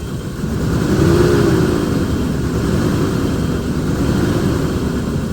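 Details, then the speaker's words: Neglected van, just started after sitting, warming up: uneven, lumpy running that surges then settles into a steadier beat as a dead cylinder picks up and starts firing again. "It just it just picked up another cylinder. So that's that's good."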